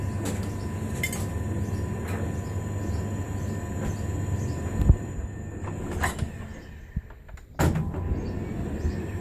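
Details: Hotpoint TDL 30 tumble dryer running with a heavy, steady rumble and a faint repeating high chirp; abnormal running noise, cause unknown.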